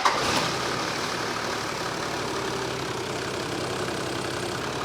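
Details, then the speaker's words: Toyota Land Cruiser 80 series diesel, wheels off the ground, started and idling with the air con switched on, off, and a small rev: smooth, quiet, even idle with no whine, chirp or rattle from tensioners, idlers or belts. Everything runs true; normal idle. "Yeah. Fine. Everything there's happy. Not even a sound."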